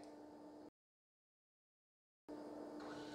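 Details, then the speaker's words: 120MB Colorado tape backup drive on FC-20 16-bit controller card, during configuration: steady mid-pitched motor whir pausing and resuming as head moves; drive seeks normally, configuration successful. "listen to that the drive is seeking it's been found oh this is wonderful tape drive configuration successful"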